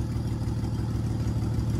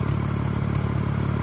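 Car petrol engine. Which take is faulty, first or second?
first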